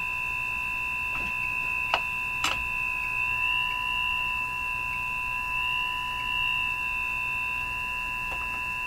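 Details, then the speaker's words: Northern Electric Baby Champ tube radio, investigating IF-frequency interference leaking from antenna: several steady whistles slowly drifting in pitch over a low hum; heterodyne whistle, suspected IF-circuit oscillation, a guess, not confirmed. "we're hearing an oscillation we're hearing the effects of an oscillation in the if circuit which which you normally cannot hear but when you bring up another frequency close to"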